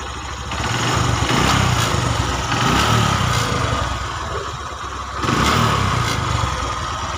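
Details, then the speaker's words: Honda Megapro 150cc single, previously rough, smoky and weak, after a top-end-only repair from the cylinder block up with machining. Smooth, even idle with a steady beat and no knocks; no smoke or plug fouling now. Normal idle. "oke itu ya suaranya seperti itu dan cukup halus dan yang pasti nggak gagal ya pada pembubutan"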